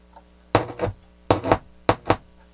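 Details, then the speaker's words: Toshiba SA-300 stereo receiver, first power-on after tuner recap: three pairs of sharp deep thumps over quiet hiss on the right channel; considerable DC offset on right output, left channel quiet. "we got dc on the right channel you can hear it on the balance"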